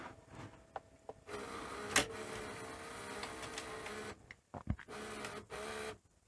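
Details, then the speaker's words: Panasonic NV-V8000 SVHS VCR from about 1990, after resoldering bad joints: rattly clicking chatter with uneven whirring bursts as the deck runs; owner thinks the spool is the noise. "That's a bit noisy, isn't it? Oh dear. I think I think that's actually the spool."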